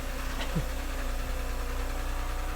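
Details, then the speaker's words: Neglected BMW 328xi after replacing a faulty "diesel valve": smooth, low, even idle with a steady pulse; the earlier rattling is gone, check engine light off. "Sounds good. I don't hear that rattling anymore."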